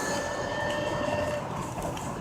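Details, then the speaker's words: Truck driving with a thin, steady metallic squeal and high scraping edge over rolling noise from the wheel area; owner suspects worn brakes or rotor, cause unclear. Engine also overheating after a blown coolant hose near the transmission. "think you hear that like scraping sound I need new brakes or a rotor or something as to scraping it sounds really bad"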